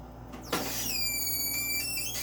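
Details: Personal Chiller Nugget ice maker, one day after purchase, making a high, steady squeal that rises in pitch then holds above its quiet hum while making ice; cause unknown.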